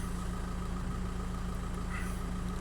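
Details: 2005 VW 2.0 TDI PD (BKD, no DPF) at idle during a measuring-block check: smooth, even diesel idle with a steady low thrum and no misses. Injector idle-stabilisation deviations are small and the engine runs sweet and balanced.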